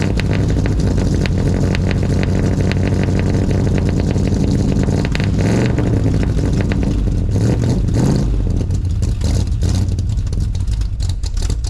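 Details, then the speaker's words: 1983 Ford with 351 (5.8) V8, ice-cold morning start, one muffler missing: loud, choppy, uneven idle with a few throttle blips, running rough until warm. "she does not like to idle until she's warm"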